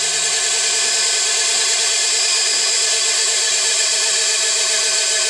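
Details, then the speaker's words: New electric motor on a 7.5 kW VFD driving a glass crusher, replacing a 5 hp Briggs & Stratton gas engine. Steady, high, shrill whine, louder than the owner's other silent VFD motor; dry bearings, much quieter after greasing. "making a lot of noise my other inverter my other motor doesn't sound like that it's completely silent"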